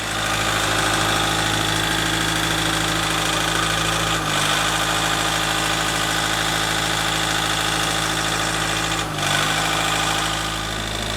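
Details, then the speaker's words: Ford Galaxy Mk4 2.0 TDCi at idle: hard diesel knock with brief stumbles; injector 1 correction far too high at 160 while injectors 2–4 are trimmed down; slight misfire as the ECU adjusts injector correction factors. "So, as you can hear, it's adjusting the correction factors for the injectors, hence why there's so much diesel knock."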